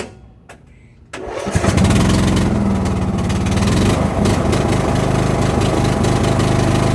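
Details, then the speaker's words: Craftsman LT2000 riding mower that had no start and no crank click, after battery charged to 12.71 V: quiet clicks, then the engine catches and settles into a steady, even chug around 220 beats a minute; starts and runs normally. "good so now fix the problem so we need to charge a little bit on the battery side"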